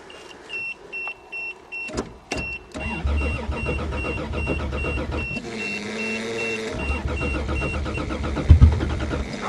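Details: Toyota car in cold snowy December start, fuel pump heard running, earlier battery connection issue: door chime pings, then the starter churns steadily for several seconds and never catches. Cranks but won't start; cause unconfirmed.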